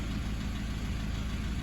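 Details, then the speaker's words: 2009 Toyota Hilux 1KD-FTV D4D diesel, low kilometres, injectors replaced at 180k about five years ago; light rapid tapping under the idle rumble, abnormal injector tapping; possibly bad fuel or contamination, often sits unused. "tap tap tap tap tap in the background that is not normal"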